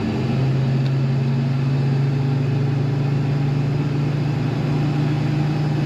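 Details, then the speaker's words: 1972 Chevrolet K20 Cheyenne Super 4x4, lifted, V8: deep, even idle rumble with a steady low beat, no misses or knocks; great-sounding, normal idle. "Great rumble when you hear this idling, which you just did. You gotta love it. It sounds good."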